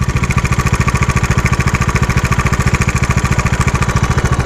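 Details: 2021 Bajaj Dominar 400 BS6 at idle: steady idle with a sharp, regular tick about three per second riding every firing pulse, louder than normal; abnormal engine noise, cause not confirmed.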